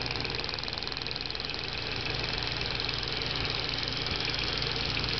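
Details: Audi A4 B5 1.8T at steady idle with quick light clicking, about three to four a second, from the purge valve; purge valve clicking at idle.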